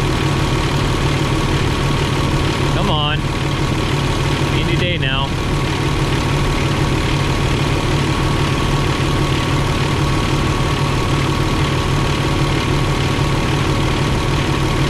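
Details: Truck with Eaton UltraShift Gen 3 transmission during clutch reset, diesel idling while building air: faint constant whine over the rumble from the air compressor loading, stops when compressor cuts out; compressor bearing checked fine.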